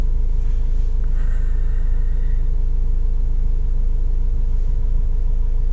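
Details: 2005 Vauxhall Vivaro 2.5 CDTI diesel idling after EGR valve replacement: even, regular clatter with no hunting. Live data shows the new valve's position feedback tracking the command, unlike the old stuck valve; a P1400 cold-start emission code persists unexplained.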